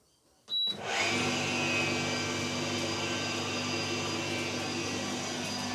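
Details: Electrolux (Simpson/Westinghouse type) tumble dryer after inner shroud replacement: steady drum hum with a faint even whine on top after start-up, a whine expected to wear off after running; normal running sound.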